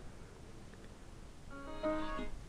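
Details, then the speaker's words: Samsung LE40B652 LCD TV with T-con 2009FA7M4C4LV0.9 not finishing boot: short rising startup chime breaks off before completing and repeats until unplugged, a boot loop traced to a faulty T-con board. "notice how it doesn't seem to complete the melody and it will repeat that and it will continue to repeat this process until you unplug it"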